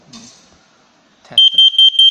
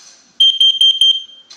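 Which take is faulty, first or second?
second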